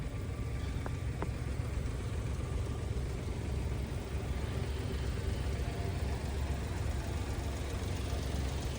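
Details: Daihatsu Atrai turbo kei van, new tires, idling in snow: low even hum and steady rumble, no knocks or misses; settles smoothly, normal idle.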